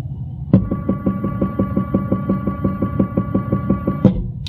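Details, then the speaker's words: Stepper motor on step/direction drive, 600 RPM for 20 revolutions: crisp evenly spaced stepping pulses over steady whine, starting and stopping cleanly, air-conditioning hiss behind; running normally. "I'm going to turn on my power supply and you should be able to hear it unfortunately the air conditioning is running so we got a little background noise but hopefully we can hear it pretty good"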